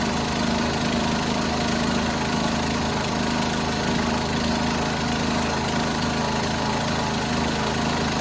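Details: 1976 John Deere 300 with a binding starter, running after a hard start: a steady, even single-note drone at constant speed with no misses, knocks or surges; running smoothly.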